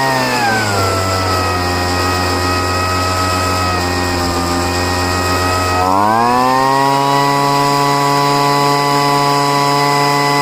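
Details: Poulan two-stroke leaf blower, first start after five months stored, running after heavy priming and richening the high-speed mixture screw: steady, even buzz revving cleanly to a higher held speed, smooth with no hunting or stumble; runs fine now.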